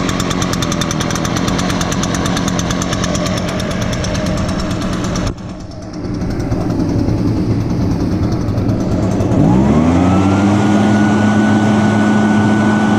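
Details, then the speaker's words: Echo blower, started on choke after priming bulb under the carburetor, started easier than expected: steady idle buzz dips briefly, then rises to a clean, even high-rev tone that holds; normal idle and throttle. "all right oh wow that's amazing let's start up a lot easier"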